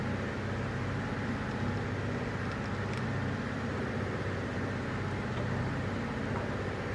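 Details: Toyota Tundra 3UR-FE V8 idling: a deep rumble with an irregular, lumpy beat instead of a smooth burble, from a misfire on cylinder number 7.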